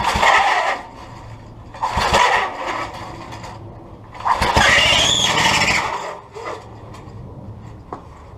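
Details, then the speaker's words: Craftsman tiller with old flathead Briggs engine, points and carburetor diaphragm recently replaced: sharp squeal rises with each starter cord pull, stops between pulls; not the belt, owner suspects a rusty, sticking starter clutch needing cleaning. "it's not the belt squeaking then it's probably most likely the starter clutch is rusty down inside there so try giving it clean see sticking anyway most likely that's what it is"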